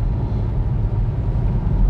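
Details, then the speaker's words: Mk1 SEAT Leon Cupra R at full throttle after an ignition coil fix for a misfire: a deep, even roar with no stumble, surge, popping or judder. It pulls smoothly, the repair a success despite a damaged coil connector. "Power feels good, smooth, responsive, which can only be a good thing."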